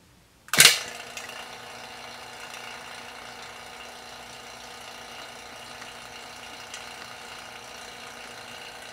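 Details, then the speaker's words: 1995 Honda Civic hatchback AC install, vacuum pump on and valve cracked at the disconnected high-pressure line to draw PAG oil in: sharp pop, then steady airy hiss of suction; working normally. "so we're going to turn the pump on and then just crack this valve right here and that's going to create a little bit of suction and that's going to suck that oil right into the system"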